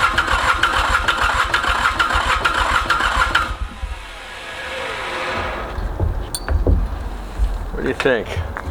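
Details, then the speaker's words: Mitsubishi K3D diesel on a Ransomes Bobcat mower, first start after 9 years, starting fluid sprayed, engine flooded with fuel: quick, uneven cranking with a few rough firing bursts that never catch; hard start, cause unknown (owner suspects head). "man this thing is so close to going you can you can hear it wanting to just jump huh [Laughter] yeah boy that's frustrating"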